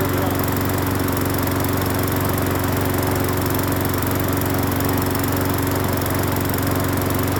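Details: Free Hyper Tough 20-inch push mower on first start after cleaning the carburetor and gas tank, with fresh gas, spark plug connected and Seafoam-type motor treatment added. Steady, even single-cylinder chug with no misses or surging, not shaking. Runs normally.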